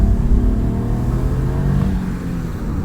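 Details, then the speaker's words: Infiniti/Nissan with VVEL after valve re-adjustment for misfire (previously appeared after about half an hour of running); misfire counts at zero, smooth rumbling rev with no stumbles or missed beats: normal engine revving. "Не троїть, все класно, все працює."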